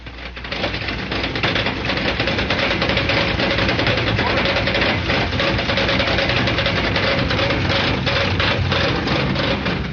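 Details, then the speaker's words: Air-cooled Volkswagen flat-four running rough with a heavy, uneven knock about three beats per second: a broken crankshaft. A loose flywheel makes a similar noise. "Once in a while, a crankshaft will break. And when it does, it sounds like this."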